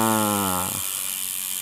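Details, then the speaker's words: Twitter road bike, new, after repositioning the mechanical disc brake caliper via its two Torx screws: fast ratchet buzz winds down as the wheel coasts, no brake scraping; clean freewheel clicking, pads clear. "Ni untuk adjustment position caliper ni lah. Kita dengar bunyi hub dia."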